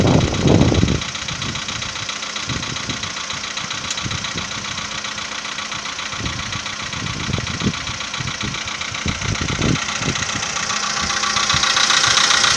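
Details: VW Polo Sedan 2015, morning cold start at idle: fast, fairly even light knocking over the engine, roughly three or four per second; piston knock suspected, not confirmed.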